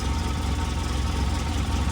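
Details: Polaris RZR 800 with 102 hours after sitting years, freshly rebuilt engine, first start with assembly lube and temperature gauge watched: low, even thrum settled at idle, no knocks or misses. Normal, healthy idle while warming up.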